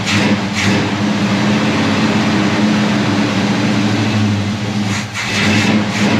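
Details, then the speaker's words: Chevy V8 fired on a junkyard carburetor that has had no work, fuel line primed after sitting dry, exhaust fitted: rough, uneven idle that sags and nearly dies before catching; the fuel pump was found leaking. "Doesn't want to keep going though. But then that is a junkyard carburetor I've done nothing to."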